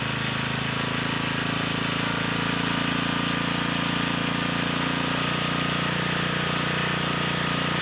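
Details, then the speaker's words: Generac 3500 W generator (model 01313-0, GN220 engine) running at no load: a loud, steady small-engine drone shifts in pitch as the misadjusted governor speed is reset, bringing it to about 61.5 Hz and 121 V. "this time when it's running I am going to try to adjust the speed you know we should have enough time to do that at least get it closer to where it should be"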